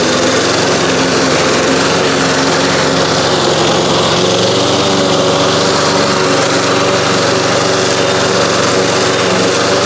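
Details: 1993 Toro Recycler II mower, Briggs engine, after fixing no-spark (bad ignition coils, damaged flywheel, parts swapped from another engine), mowing under load: even, steady drone that holds pitch, no misses or surging; healthy.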